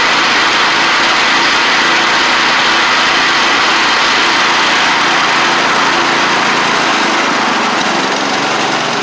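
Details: Restored 1985 Wheel Horse 312-8 garden tractor, after a multi-month revival: single-cylinder engine holds a steady, even idle with no hunting or misses on a cheap aftermarket carburetor, which ended up working well; normal idle.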